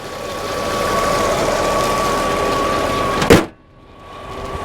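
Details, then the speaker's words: Low-mileage 1997 VW Eurovan Camper, engine bay open: steady, even, smooth idle with faint constant hum, no knocks or misses, sudden clatter near the end; normal idle. "everything looks the way it's supposed to sound good idling smooth"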